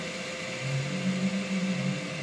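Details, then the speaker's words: Home-made temperature-sensor fan controller on 12 V from solar panels and batteries, cooling a solar grid-tie inverter: touching the sensor slightly starts the fan, a low hum rising to an even whir; cooling fan starting normally. "you see I only touch the little bit and it's already starting it's already starting the power"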